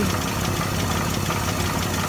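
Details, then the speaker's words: 1964 Dodge D100 slant six started after reinstalling the harmonic balancer and resetting the timing: slow, loping idle with each firing pulse easy to pick out, reading about 350 rpm; the idle speed is set too low. "okay the rpm i think is too low right now telling me"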